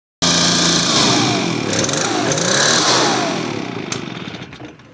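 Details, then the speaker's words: Echo PB580T backpack blower two-stroke just after carburetor replacement, air filter not yet fitted: high buzzy revs briefly, then sags and dies away unevenly; uneven running, the carburetor still needs adjusting. "right so it needs to be the carburetor needs to be adjusted i'll do that on another video"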